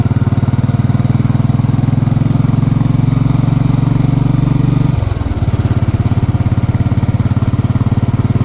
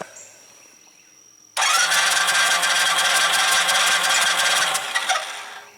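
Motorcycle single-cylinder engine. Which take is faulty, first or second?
second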